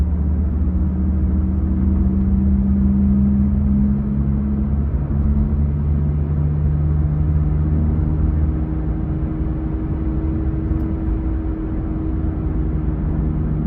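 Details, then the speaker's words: Honda Jazz GK cruising: a steady low drone under road noise, pitch following road speed. It began after hitting a highway pothole; owner suspects a rear wheel bearing, not confirmed. "ฮะเสียงประมาณนี้ครับนาๆทุกท่านเหมือนเสียงลูกปืนมั้ยครับน้าาทุกท่านผมว่าน่าจะใช่เสียงลูกปืนนะ"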